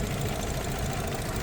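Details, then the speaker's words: 2013 Audi Q7 3.0T supercharged with misfire and oil-coolant mixing, coolant steaming from the valley: lumpy, uneven idle with faint irregular knock in the low rumble, running worse and stalling. Coolant combustion-gas test negative; misfire at idle, cause not confirmed. "this thing starting to run worse and worse and my stall on me"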